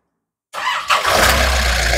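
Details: Nissan Urvan E25 with ZD30 diesel after general overhaul, started while checking the radiator for bubbles (suspected head issue) and temperature: silence, then starter catches and engine settles into an even idle within a second; normal cold start.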